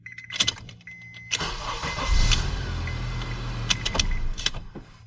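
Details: 2006 Honda Accord 2.4 four-cylinder after ignition switch electrical part replaced (previously wouldn't start): short crank, catches at once, settles into smooth steady idle; normal start.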